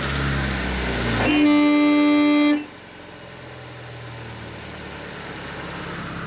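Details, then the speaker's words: Newly installed air horn on a Mitsubishi/Plymouth Colt, first test wired into the horn wire: a thin, steady tone for about a second, then cuts out. Owner suspects a worn-out pump; the horn fuse appears to have blown, so a relay is planned next. Weak air horn. "Pump sounds a little tired. So, That sounds lame. Something's wrong with that pump. I think that pump's a little worn out."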